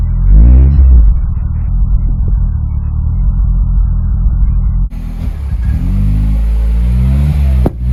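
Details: R56 Mini with big turbo fitted, after subframe work: deep, even rumble rising and falling with a few light revs, no misses or knocks; normal running, healthy.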